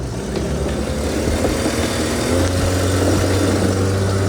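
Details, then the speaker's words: Volvo 240 on the highway under throttle, before a new muffler, O2 sensor and header gasket were fitted: loud, raspy, blatting rumble with a rattly edge that swells as the throttle opens. Exhaust leak from a large hole in the muffler, plus muffler rattle. "I'm going to give you guys a idea of what this thing sounds like when I hit the gas with this giant hole here"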